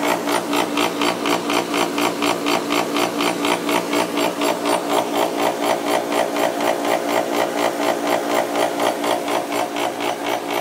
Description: Jandy pump with A. O. Smith motor - bad bearings. It makes an awful racket.